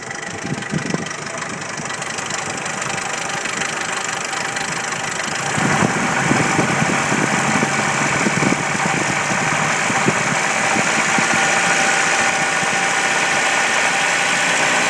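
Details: 1993 Jeep Wrangler YJ, stock 2.5L four-cylinder, 245,000 miles: a steady nasty knock of about four beats a second at idle. Owner suspects valves, piston slap or the timing chain tensioner; cause undetermined.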